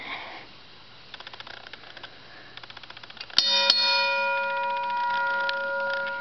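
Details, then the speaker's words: Half-scale railroad crossing signal bell: faint ticking, then two sharp metallic clangs with a clear ringing tone fading slowly; bell rings as it should. "that's what it's supposed to sound like and I I'll do a demonstration of this signal now with this spell"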